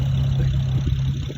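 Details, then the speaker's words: 2008 BMW 335i after fixing a bad misfire caused by coil wires swapped between spark plugs following a valve cover gasket job. A steady, smooth engine hum with no stumble or miss; it now runs well. "335i got this one on this field and now it's running good so he's happy"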